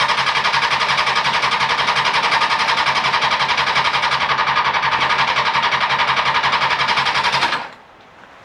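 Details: 2000 Honda CBR600, non-runner pulled from a hedge, on a booster pack with choke: steady fast cranking, about four beats a second, never catching; cranks but won't start.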